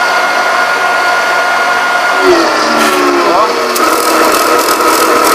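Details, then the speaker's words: 2 CV electric motor driving a re-magnetised generator (34 V unloaded): switching on a ~1200 W iron (~5 A) normalises voltage, but the motor's steady whine drops clearly in pitch, overloaded and bogging; would burn if left. "A tensão normalizou, mas o motor caiu, ó. Se eu deixar ele vai queimar."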